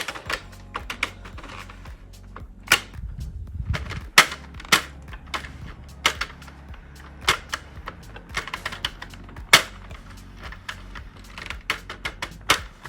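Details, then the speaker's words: Sentro 48-needle knitting machine, hand-cranked while casting on a scarf: sharp, unevenly spaced clacks as it rocks because it isn't suctioned to the floor; loud clicking from unsecured machine. "It's a bit clicky because I'm not suctioned to the floor."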